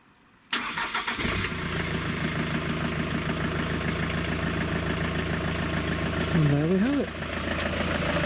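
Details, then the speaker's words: Citroen/Peugeot/Fiat Dispatch/Jumpy/Expert/Scudo micro camper diesel van, start after bell housing and clutch work, diagnostics connected: engine catches at once and settles into a steady, even diesel idle, no clatter, stumble or knock; healthy start. "let's give it a start shall we see what it sounds like"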